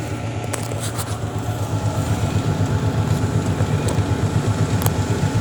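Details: Panasonic automatic washing machine making metal noise when washing and drying: steady low rumble with a regular beat about four times a second and faint metallic ticks; cause not stated.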